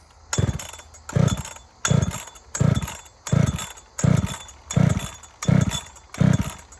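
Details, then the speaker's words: Ported Husqvarna 61 chainsaw with aftermarket 268 top end and crank swap, not yet broken in, cutting firewood: repeated clean full-throttle bursts dropping back to idle without bogging. It is a healthy, strong runner. "Other than that, I think she's a good runner, and it's not even broke in yet. So, good opportunity. Let's fire it up and make some cuts."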